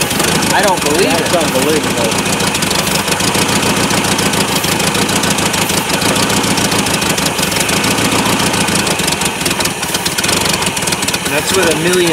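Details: Engine started for the first time in 17 years on starting fluid in the carburetor, before an external fuel tank was hooked up: loud, ragged, uneven running with hissing and surging; rough idle, cause unclear.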